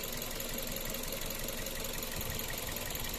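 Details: 2003 Toyota Vios, manual: idle rough and uneven with irregular stumbles and a loose knocking beat; misfire at idle, cause not confirmed.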